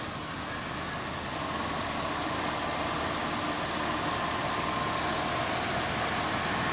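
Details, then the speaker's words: 1970 Ford Mustang Mach 1, original 351 Cleveland 2-barrel V8, FMX automatic, started on a cold day: steady, even, smooth low-rumble idle with no knocks or misses; healthy running motor. "Very smooth running motor."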